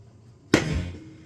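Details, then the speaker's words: Linn AV 5105 amplifier at switch-on: a single sharp pop from the speakers then a low thump dying within half a second; it also pops at switch-off; owner suspects capacitors charging or bleeding, unconfirmed. "Alright, well, I've been playing around with this for a while, and this thing makes a popping noise when it goes on and off."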